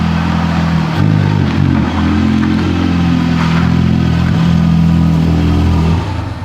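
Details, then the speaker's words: Wrecked 2019 Honda Civic Type R running poorly: an uneven, surging engine note that stumbles as it revs. It is identified as an air leak on the intake manifold, matching the sound another car made with a cracked intake manifold. "we diagnosed why it's not running properly it's just it does sound just like some sort of air leak to me going on"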